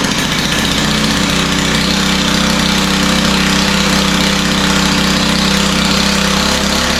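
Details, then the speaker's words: Stihl FS91R four-stroke line trimmer that starts and idles but won't take throttle: heavy, lazy idle with no crisp beat; sounds rich at idle, and the idle had to be sped up, another rich sign. "it sounds to me like it's idling a little bit too rich and it was I had to speed the idle up which is another sign that's idling too rich"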